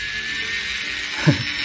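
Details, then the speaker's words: DIY mini Dremel with brushless motor on a 12 V supply, speed raised by potentiometer (rated about 12,000 rpm); thin, steady high whine with one brief low bump, spinning freely and fast even at low setting; normal high-speed running. "Wah, ini rasanya putarannya kenceng banget ya. Padahal ini baru sedikit banget ya."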